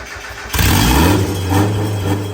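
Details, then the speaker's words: Newly turbocharged Mazda Miata (CX Racing turbo kit, small turbo, muffled 2-inch exhaust) starting and revving: quick catch, then a muffled, even rev rising and settling smoothly with no misses; healthy start, said to sound like a Civic. "Oh yeah, dude. To be honest, it sounds like a Civic."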